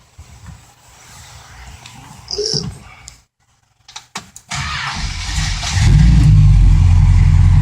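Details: 1965 Plymouth Fury Sport, freshly restored, with new Flowmaster exhaust (pipes turned down), fired up and idling: after handling noise it catches and settles into a deep, even low rumble with no misses; runs smooth, normal running.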